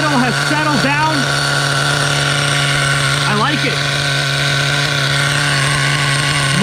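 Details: Vintage Schumacher Menace 21 nitro truck after lowering the idle with the idle set screw: steady, even buzzing idle at constant pitch with no hunting or surging.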